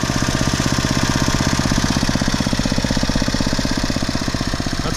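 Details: Normal idle of a 15+ year old Poulan/Weed Eater garden tiller with a 5 HP Briggs & Stratton engine after a tune-up: new spark plug, oil change, air filter and a carburetor mixture-screw adjustment. Steady, even single-cylinder idle with no hunting or surging.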